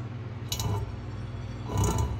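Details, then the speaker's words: Vintage British motorcycle front wheel, hand-spun: soft scuffing brush once per turn, about a second apart, as the out-of-true wheel's tire rubs the fender; may go to a tire shop to true it. "so we'll see if we can get the front wheel true right now what's happening is it's actually rubbing the tire is rubbing"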